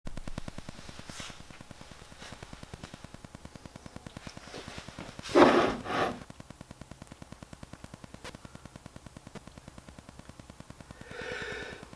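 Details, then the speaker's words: New Canon 80D with Rode mic recording too close to a home Wi-Fi router: fast, steady electronic clicking buzzes under the whole recording as the mic picks up Wi-Fi pulses; fix is keeping away from the router. "if you are recording too close to a router Wi-Fi the mic will pick up those pulses"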